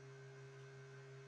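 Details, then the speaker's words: Makita DC18RC charger with a battery inserted: steady low hum with a soft fan whir and faint high tone; the fan runs but no red charging light comes on. Unclear whether it isn't charging or only the LED is defective. "Maybe you can hear the fan now. But I don't have a charging light."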